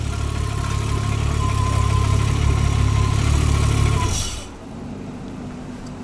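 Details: VW Golf 3 VR6 Turbo, almost 500 hp, on its first test run after engine assembly. A deep, steady idle holds evenly for about four seconds with no misses or knocks before shutoff, so the idle is normal.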